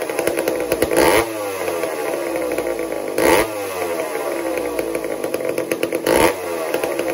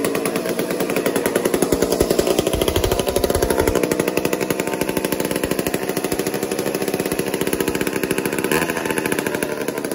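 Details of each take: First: Old McCulloch 1-10 chainsaw, a two-stroke not run for a long time, while the idle is being tuned: buzzy running with a throttle blip every two to three seconds as it settles into a clean, normal idle; earlier a spark-stealing fault was cleaned out. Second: Old McCulloch 1-10 chainsaw, not run for a long time: rapid, uneven two-stroke firing that surges and sags while being tuned; erratic running.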